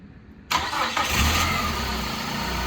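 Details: 2002 PT Cruiser sitting 9 years, after refitting the original crank sensor in place of an aftermarket one (cam sensor already OEM): brief crank, catches at once and settles to steady, even idle; starts cleanly after fix.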